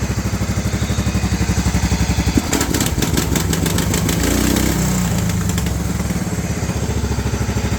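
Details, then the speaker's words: 1994 Cub Cadet 2135 riding mower, first start after decades sitting, carburetor cleaned, on choke, throttle all the way down: steady, even low thumping idle with a bit of clatter, briefly picking up then settling; running smoothly. "There's it idling. That's all the way down."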